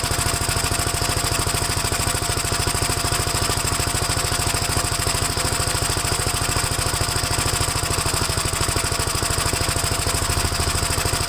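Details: Gravely single-cylinder engine after first start following gas tank install and new battery terminal: steady thumping around 200 beats a minute, fairly even but rich-sounding, running on choke; choke later turned fully off and it runs all right.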